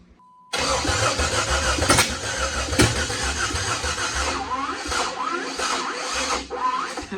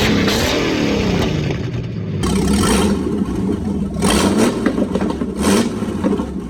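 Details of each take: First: Jeep Wrangler with a donor Cherokee engine swapped in after sitting for years, on eight-year-old fuel: the starter grinds in repeated uneven bursts but it never fires; crank no start, another battery needed, cause unconfirmed. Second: Jeep with swapped engine, new starter and battery connectors, radiator just installed, first runs after sitting seven years: engine catches and runs, revs rising and falling with some clatter underneath, then settles and keeps running on its own.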